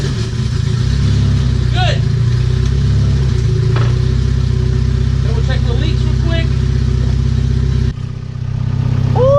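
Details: B18C1 turbo EJ1 Honda Civic, first start after a fuel tuck with new -6 fuel lines and 3.5 gallons of gas: a steady idle with clean rev rises and no misfire, and no fuel or oil leaks. Normal running.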